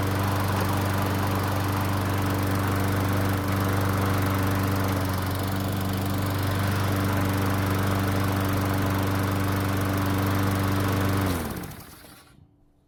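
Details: Stolen-and-recovered John Deere pull-start mower, cold, just started after owner suspects flooding from over-priming with the bulb: steady, even single-cylinder drone at constant speed with no misses or surging, then a clean shutdown; normal running.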